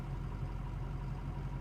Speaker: right now the idle is pretty bad not horrible but it's fluctuating